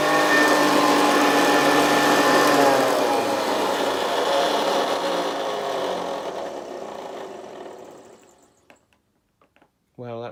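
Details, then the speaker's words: Early Hoover Senior 652 Deluxe upright vacuum, first switch-on: harsh rattling whine that winds down unevenly as the motor coasts to a stop; front motor bearing behind the fan is very worn and needs replacing. "sorry the front bearing with the one behind the fan needs replacing"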